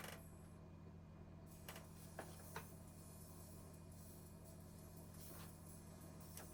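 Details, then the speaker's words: Technics SL-20 turntable brought in for inconsistent 33/45 speed and a flaky power switch, after troubleshooting: a faint steady low hum heard through the cartridge, with no wow, scrape or thumping. Spins evenly and sounds healthy. "Yeah, sounds good. I mean, I can hear it through the cartridge, so cool."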